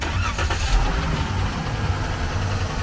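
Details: Van broken down in rural Colombia after crazy noises and a rattle, with a transmission leak and suspected transmission overheating; engine run while parked to try to reproduce the noise. Even idle, short throttle blip, smooth pickup, no knocks or squeals.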